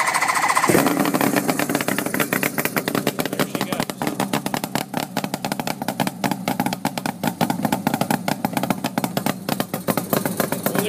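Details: Suzuki GT750 Water Buffalo cafe bike with flat-slide carbs, cold start with each choke pulled and no throttle. A brief crank, then it fires at once into a crisp, rapid, even popping that holds steady on choke. A clean, healthy cold start.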